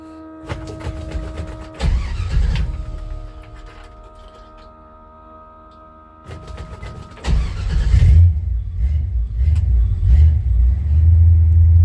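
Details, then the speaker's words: V8 1966 Chevy C10 on 1972 C10 frame, 3-on-the-tree, with no exhaust system, only borrowed mufflers: cranks and catches into a loud, deep, unmuffled open-exhaust rumble; a belt is also squeaking. "I meant to tell you too that I don't have any exhaust on this truck. I got some mufflers on it that I borrowed from my friend GM 1038, and I got a belt that's squeaking."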